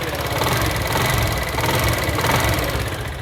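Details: Honda CD 70 motorcycle: steady fast rattle and ticking over the small single's idle, unchanged in rhythm, from a worn, slack timing chain slapping inside the engine; rider finds it very troublesome while riding; timing chain to be replaced.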